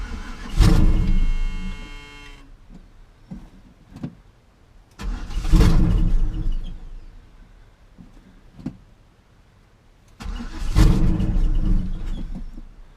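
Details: Classic Chevy C10 truck, sat about 5 years in a pasture and parked over engine knocking, first start attempt with carb cleaner sprayed down the carburetor and fuel quality doubted: three long cranking stretches that never fire. Crank, no start.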